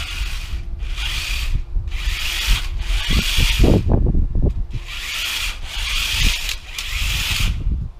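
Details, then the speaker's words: 3D-printed RC tank first test run: rough grinding whir in repeated bursts, about four a second, with each drive pulse, plastic drive gears crunching under load and unlikely to last; drive system to be redesigned. "uh I don't think those gears are going to last very long though based on that grinding you can hear"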